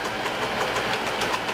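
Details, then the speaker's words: Vintage Bell & Howell 16mm film projector running forward: a steady clatter with a rhythmic clunking rattle, about six pulses a second. It comes mostly from a slipping worn belt, partly from the shutter worm gear. "That's the heart of the entire shutter mechanism. It's called a worm gear. And it's making quite a bit of racket."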